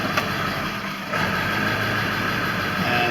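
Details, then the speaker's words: 2000 Ford F-350 7.3 Power Stroke diesel at idle, Hydra chip on stock setting: idle sags then surges, fluctuating and never smoothing out; truck also starts and dies; faulty injection pressure control. "this is the erratic idol that i get from time to time one of the other issues that it had was i would start the truck and it would die and i would start the truck and it would die"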